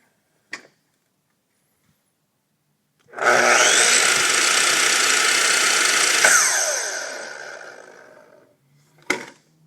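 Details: Makita miter saw: clean whine jumping straight to full speed, holding steady, then winding down smoothly; normal running, before the saw slows down after repeated cuts.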